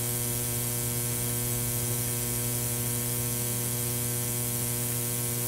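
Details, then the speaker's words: Ozone generator's ceramic plate producing a steady low mains buzz with fine static hiss from corona discharge, working normally with strong ozone odor, before installation inside a Filtrete FAP02 air purifier. "can hear the buzzing that buzzing sound it's actually coming from the corona on the ceramic plate"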